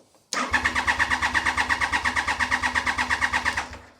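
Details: 1993 Triumph Trident 900 (Gen One), sat 5 years, cranked on the starter to pump oil round before fuelling: brisk, even cranking about three compression pulses a second with no slowing or clicking; starter and battery working normally.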